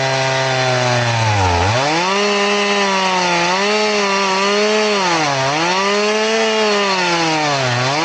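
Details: Crosscutting with a chain filed to 10 degrees: the saw's whine drops in pitch and sags repeatedly as it bogs in the cut. The shallow filing angle leaves it cutting super slow and taking a while through the wood.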